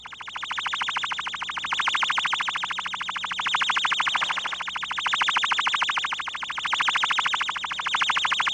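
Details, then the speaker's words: Ultrasonic leak detection with a warble tone generator on the far side of the test surface: a steady, high warbling tone pulsing about three times a second, clear and unbroken, as ultrasound penetrates through a leaking seal. "listen to the ultrasound penetrating this seal"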